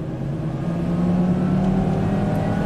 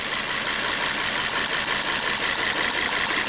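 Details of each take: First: Volvo S60 Turbo on a test drive under load, after earlier violent shaking, power loss and a suspected cylinder-one misfire with reduced compression: engine pulls hard with a steady climbing drone and faint turbo whir building; boost comes in normally. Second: Volvo S60 Turbo with severe misfire, loss of power, codes for cylinders 1 and 2, during a cylinder drop test: rough loping idle under hissy roar; no change unplugging cylinder 1 despite spark, dead cylinder.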